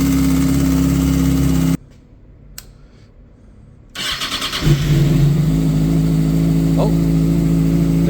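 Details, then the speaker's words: 2008 Kawasaki ZX6R four-cylinder after cam chain tensioner adjustment (loosened, assembly jumped, retightened, no aftermarket part): smooth idle, restart and revs with the previous top-end tick gone. "no tick so as you can tell that did fix our problem and for now that's going to be the end of this video"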